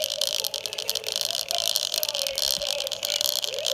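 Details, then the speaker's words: Snow iMac G3 slot-loader playing music through its original rotted speakers before replacement: thin, harsh music with no bass and a fizzy rattle on every note; distortion from deteriorated speaker surrounds. "these ones sound really bad so I mean no matter what I replace them with its it's easily an upgrade"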